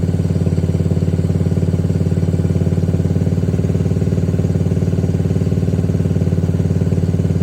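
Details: 2021 Can-Am DS90 carbureted ATV after carburetor idle-screw adjustment: an even putter of three to four beats a second with no hunting or stalling; a normal, properly set idle.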